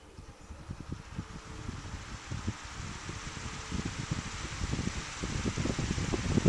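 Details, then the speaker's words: Fridgemaster 16-inch pedestal fan, first test on speed setting one: soft airy hiss with faint low thumps, level slowly building, nearly silent; normal fan running on low. "it's silent you can hardly hear anything at all"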